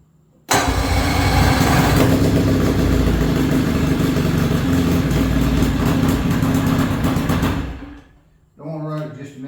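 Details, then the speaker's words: 1968 Johnson 33 hp outboard, sat over 20 years, run briefly without water hooked up: catches at once, strong, even, fast-firing run with no misses, knocks or rattles; runs good. "This is a a 1968 33 Horse Johnson. I just want to crank it up and show you that it runs."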